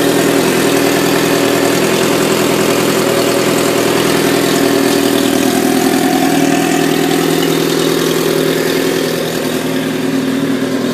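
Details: 1997 Suzuki GSX-R750, 19k miles, idling: fast light ticking over a busy inline-four idle that follows the revs; top-end ticking, owner suspects it needs a valve adjustment and new cam chain tensioner.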